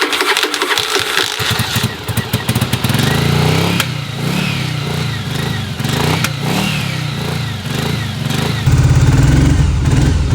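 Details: 1981 Yamaha Virago after long storage, cold on choke; revs rise and sag unevenly in repeated blips, won't settle, runs rough and only stays alive with RPM held high.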